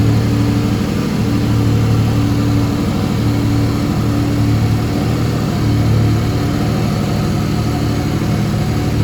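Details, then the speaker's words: Mercedes W203 with turbocharged M104 engine, running on the original M104 injectors instead of 440cc injectors; steady, even running with a clean small rev and no misfire, much smoother than before. "yeah the engine runs a lot smoother with the m104 regional injectors in there"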